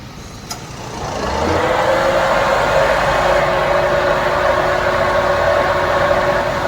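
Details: Maruti Suzuki WagonR, engine running with AC switched on: noise swells as the radiator fan kicks in, then steady droning whir with vibration felt inside the car; car also sometimes overheats. Noisy, vibrating radiator fan.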